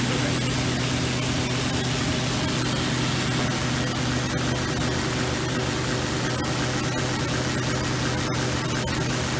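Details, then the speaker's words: NS DM1100C deburring machine on a thick stainless part, heavy setting (48), about 2.5 feet per minute: loud steady rushing scrape with constant low hum; brushes engaging heavily as intended. "a part like this, you can really hear the brushes engage, of course. You're heavy into it."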